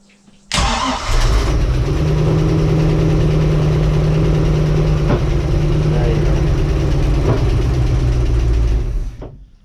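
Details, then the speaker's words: Bayliner boat with MerCruiser Alpha One Gen 1 sterndrive: engine cranks, catches, steady drone, then two heavy bangs that vibrate the boat; owner suspects loose metal inside, cutting out possibly from vacuum; knocking and banging on start. "Alright, you don't need to hear it anymore, that was two very large bangs. And when it bangs like that, it's vibrating the boat. It almost sounds like there's some lump of metal inside that's getting caught and it's getting flung around."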